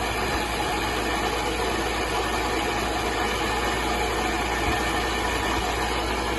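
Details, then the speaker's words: Sunbeam Alpine Fastback being recommissioned, last run about five years ago: even idle with a constant rough whirring hum; noisy water pump. "yeah very noisy water P still I'll keep this going drain the tank and the next video will be uh yeah the next video will be looking underneath it for welding"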